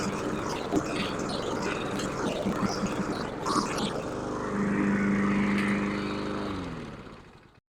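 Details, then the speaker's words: Husqvarna HU700F mower after swapping in a new GVC 160 carburetor: smooth, even pull under cutting load, then shuts off cleanly; an earlier surge owner suspects was lack of fuel, otherwise runs healthy. "it surged a little bit in the beginning there I'm thinking that was because it was lacking fuel let's see what happens otherwise it sounded pretty good"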